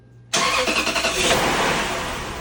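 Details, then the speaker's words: 2002 Lexus LS430 started after VVT work, with the check VSC light on and power steering fluid low: it catches at once, then idles with an uneven, lumpy pulse before settling slightly; rough running, cause undetermined. "So immediately it's running rough, and I got the check VSC light right away immediately."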